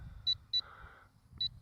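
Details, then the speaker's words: LSRC KS66 brushless auto-hover drone in flight: two pairs of short shrill beeps over faint hum; low-battery telemetry warning, which comes on early, about five minutes before low-voltage landing. "another thing manufacturer this drone you're giv the Telemetry warning comes on too soon um maybe uh adjust adjust that so you don't get this annoying beep so early in the the flight"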